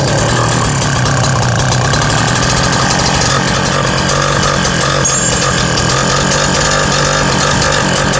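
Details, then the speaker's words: BT-80 electric-start motorized bicycle engine, first start after building a custom exhaust with a new gasket (leak fixed; muffler just refitted, gasket still curing): fast, steady single-cylinder popping at high idle, no side hiss or puffing; exhaust sealed and healthy. "I can already tell it's something a lot better there's no more sounds like it's all coming out the end like it should"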